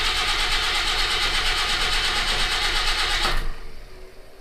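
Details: Citroen HY van with new battery and cables, fuel pump running, cranked in neutral without choke; starter churns about three turns a second with no firing; crank no start, no fuel suspected.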